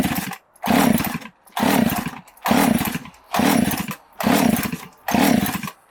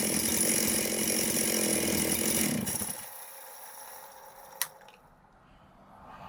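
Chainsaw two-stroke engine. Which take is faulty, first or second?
first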